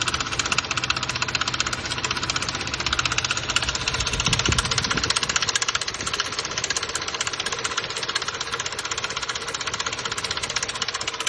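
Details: 2006 Nissan Xterra 4.0 V6 (VQ40) at idle: fast, sharp metallic timing-chain rattle, about three per second, that fades somewhat as rpm rises. The chain is hitting the guides and touching the plastic guide; a timing set is suggested.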